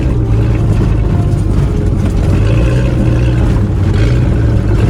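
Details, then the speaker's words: Ford AU Falcon off-road build on test drive in open field, day after changing spark plugs to cure a misfire: loud steady deep engine note, no misses or stumbles; pulling evenly and running clean. "So I just changed out the spark plugs, and yeah, it's doing pretty good actually."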